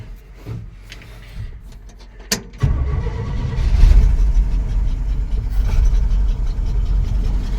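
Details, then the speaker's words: 1963 Chevy dump truck, 292 six-cylinder, after 15 years stored, weak battery, carb bowl just filled, very old tank fuel: faint clicks, then it catches with a thump into a loud uneven low rumble; hard start after storage. "It's really old, but I'm sure it'll run on it. Just won't be happy starting tomorrow. All the intake valves will stick. Let's see if we can get this thing out of here on the fuel that's in the bowl."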